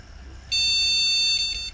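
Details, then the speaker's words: Retro AT PC after its RAM slots were cleaned, testing the last slot: one clean, steady high beep under a second, then quiet, a normal POST confirming all slots work. "okay and the last one yep got that one so all the slots are working"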